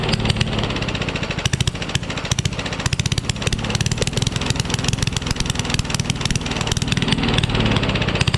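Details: Rally push mower, Tecumseh Eager 1 engine, no muffler found: loud, sharp unmuffled popping with uneven, stumbling beats; runs rough, starts with starting fluid, cause unconfirmed.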